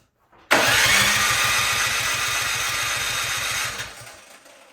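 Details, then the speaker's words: Troy-Bilt snowblower that won't start, with gas and oil in it: steady cranking for about three seconds with no catch or firing; crank no-start, spark to be checked next. "alright as you can see it doesn't start it has gas in it it's got oil in it so let's check for spark"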